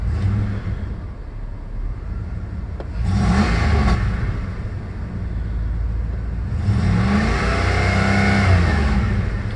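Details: 1996 Jeep Grand Cherokee that sputtered and stalled when warm, after cleaning the computer connector terminals with contact cleaner; at operating temperature engine revs up cleanly several times and settles smoothly, no stumble or misfire; normal revving.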